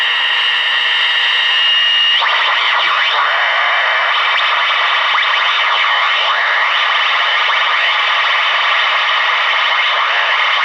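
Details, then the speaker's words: Clegg Interceptor receiver on the bench with an up-converter, tuned to 40 meters, many LED lights on nearby: steady hiss with warbling, sweeping interference tones across the band; electrical noise pickup, possibly from the LED lights. "i've got a lot of led lights on"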